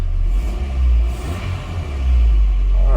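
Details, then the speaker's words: Engine blip on a Copart auction vehicle during a walk-around: deep, even exhaust rumble swells with the throttle and settles cleanly, with no knocks or rattles; it sounds extremely healthy. "god it sounds fine this thing sounds extremely healthy"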